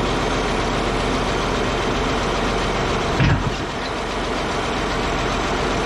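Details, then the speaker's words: Caterpillar D8H bulldozer diesel running again after sitting 15+ years (water had dribbled from carburetor): deep steady idle, even beat with no knocks or misses; engine sounds healthy and settled. "you guys hear that thing that makes me a happy guy it's running good"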